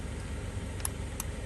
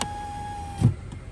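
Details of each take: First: 2011 Kia Sorento driver window with new motor and new door switch module lacking auto-up, not matching the motor; only faint irregular relay-like clicks, no motor whir: power window relay clicking, window does not move. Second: 2011 Kia Sorento with a new window motor and the old door panel switch refitted: auto down, auto up and control down all work, a brief steady hum then a soft thud as the glass seats; auto up is a little touchy.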